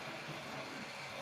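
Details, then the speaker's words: Hornby model railway locomotive, long stored in a box and once stalling on points: soft, even motor hum with faint high hiss, no stumbling or surging; motor clearly audible and running smoothly. "as you see it's running lovely you can probably gather you can you can hear the motor clearly hear the motor on this"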